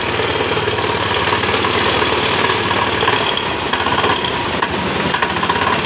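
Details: Honda Beat eSP scooter, heavily loaded and rarely serviced, idling: harsh, coarse, irregular rattling clatter from the CVT housing over the engine; worn CVT roller housing, with an engine fault code also shown on the indicator light.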